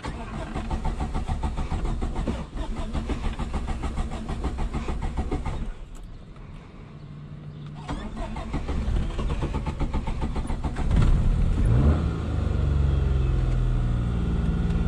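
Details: 1989 Suzuki Khyber/Cultus, G10 993cc petrol, 4-speed manual, FWD, on a test drive: engine note sags and cuts out for a couple of seconds, then catches and pulls again; stalling, cause unclear.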